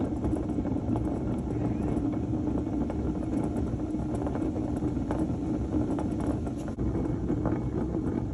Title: Honda dio scooter bad wheel bearing